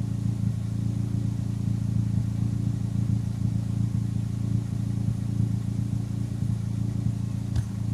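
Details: Turbocharged engine fitted with larger SR20 injectors a few years ago: steady warm idle with low exhaust burble and occasional uneven pop or stumble; intermittent warm-idle misfire, owner suspects the injectors, not confirmed.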